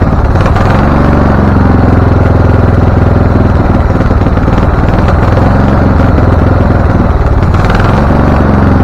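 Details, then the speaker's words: Husqvarna LTH 1438 riding mower (engine cover says 13.5), choke open, first start: loud, lumpy single-cylinder chug with uneven firing and occasional sharp pops, rough running; shop suspected loose cam gear changing timing, cause not confirmed. "okay so it is running it doesn't like the idea but it's running"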